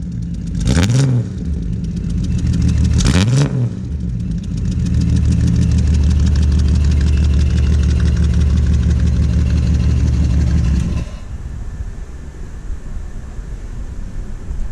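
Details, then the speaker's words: 1968 Ford Falcon six-cylinder on hydraulics: two blips, then a loud raspy idle with a fast puffing tick. Owner suspects an exhaust leak from a cracked manifold, possibly from hitting the ground. "It's developed some fun exhaust leaks too, so you'll get to. Oh, does it? Did it really? When did that start? I think the manifold cracked."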